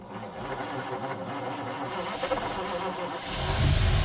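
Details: 1953 Ford Customline flathead V8, last run 2-3 years ago, first start: it catches and settles into an even low chuffing idle at about three pulses per second, then a quick blip. It runs healthy.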